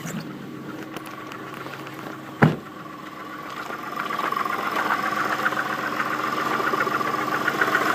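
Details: Audi 3.2 FSI engine at cold idle, recorded from outside the car: a single loud thump, then faint irregular tapping about three to four per second, engine knock at idle.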